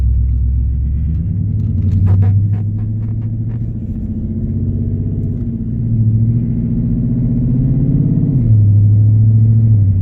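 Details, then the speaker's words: Dodge Challenger R/T 5.7 V8 just fitted with BBK long-tube headers: deep rumble rising and falling with revs, with sharp ticking puffs; exhaust leak at loose clamps, which need fixing. "oh yeah exhaust leak alright gotta fix those clamps I can hear it till tomorrow clamps got to be fixed first just straight exhaust leak"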